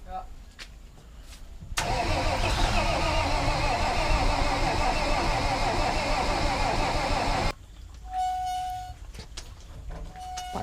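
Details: Abandoned truck, cranked after heavy rain: starter turns the engine steadily at about three turns a second for six seconds but it never fires; cranks, no start, and contact cleaner is tried next.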